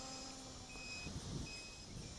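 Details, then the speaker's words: MJX Bugs 3 drone flying in 10 mph wind after crash recalibration: repeated shrill beeps cut in and out over wind hiss. Low-voltage alarm. "fun to fly in the wind give us another element getting that low-voltage alarm"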